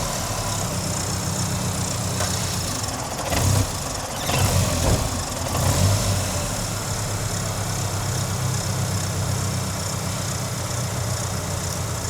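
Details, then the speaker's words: 1993 Ford Ranger back from Burning Man: low idle mostly steady but surges and dips intermittently; stumble also while driving, relay or its plug suspected (possibly aftermarket relay), cause not confirmed. "Does it do it when you're driving? >> It'll It'll stumble like intermittently."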